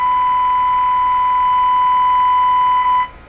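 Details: Hallicrafters TW2000 World Wide radio during IF alignment after an IF transformer replacement: steady piercing tone near 1 kHz with overtones holds three seconds, then cuts out as the receiver breaks into oscillation. Receiver oscillation tone.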